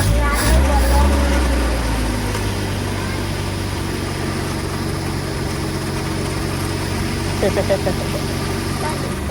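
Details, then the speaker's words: Gasoline engine that wouldn't start after sitting about two to three weeks, now running after step-by-step checks, fuses inspected and new spark plugs: steady, even smooth idle with no misses or knocks; normal idle. "A ito yung mangyari umandar na oh 3 weeks yan hindi umaandar"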